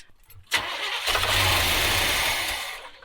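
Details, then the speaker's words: 1970s Coachman Leprechaun motorhome, carb bowls hand-filled with gas and a little 2-stroke oil; it fires, runs about two seconds, then fades and dies as the bowls run dry. Fuel starvation, the pump not yet primed. "Yeah, so obviously it's staying running longer. All right, so we're just trying to get the bowls filled."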